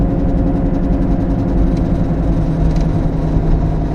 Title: Bad wheel bearing sound | Automotive | Car